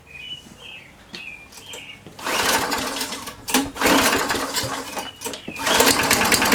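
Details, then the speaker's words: Free MTD Yard Machines push mower, fueled after new blade and checks: fires on first pull with cracked primer bulb, then races high and uneven, surging; owner suspects too much governor tension, also running lean. "um sounds like it's got a little too much tension on that governor sounds like it's trying to over rev"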